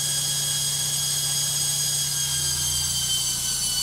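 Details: LOGIK washing machine on spin: loud, even high-speed spin with a hard, hissy roar and steady whining tones above it; spin noisier than it should be, cause unclear.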